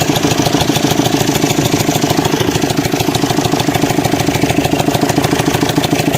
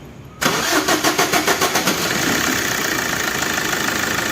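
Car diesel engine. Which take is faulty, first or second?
first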